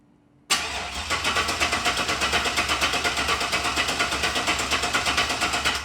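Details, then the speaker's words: LS-swapped (5.3 truck engine) 2nd-gen Camaro, hotwired, external Walbro GSL392 pump and Corvette filter regulator with returnless conversion; starter spins steadily about five seconds but never fires because the fuel cell is empty. "fuel cell's empty, so it's not gonna start, but let's cut to a clip of it actually starting and running."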